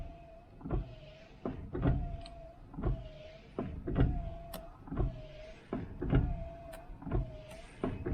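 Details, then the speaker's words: El Camino wipers, possibly rewired: motor whirs through steady sweeps about once a second and keeps running when switched off; only ignition off or pulling a wire stops it. Cause unconfirmed. "It's just staying on. So basically, yeah, that's what it was doing the other day. So basically, it's not, it's just on. The only way you turn it off is either turn the ignition off or pull this wire."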